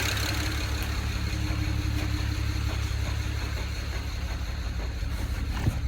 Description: Problem ended up being a bad injector in cylinder 6. This was causing the car to run on 5 cylinders, idle terribly, and made the car pretty much undrivable.